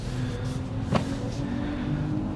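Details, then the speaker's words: Brand new Kia EV6 GT Line S dual-motor AWD, 77 kWh, pulling away from dealer in chilly weather with radio off: soft steady low hum present in normal, sport and eco modes, the normal pedestrian warning sound, reportedly switchable off. "can you hear the humming noise so i've got drive mode here let me see what i'm in i'm in normal mode sport mode little jump of the throttle eco mode so that noise is always there but i think there is an option to turn that off"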